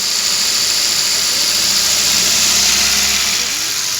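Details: Car engine after hydraulic tappet noise repair: even, hissy idle with no top-end ticking or tappet clatter; smooth after the fix.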